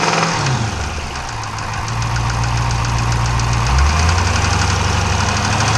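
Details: Dodge/Chrysler 392 V8 with 1400 miles, idling: steady, fairly regular tapping knock about four per second over the low rumble, diesel-like; engine knock of unknown source.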